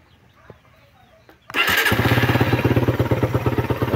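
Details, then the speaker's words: Suzuki Raider idling after remedy of mixing the engine oil to raise viscosity and adjusting timing chain tensioner; cylinder head tapped at idle before, now no knocking. Steady, even idle. Normal. "yan umandar na siya. So malagatak talaga yan nung una na naka-idle siya. Malagatak. Pero ngayon ba wala ng lagatak."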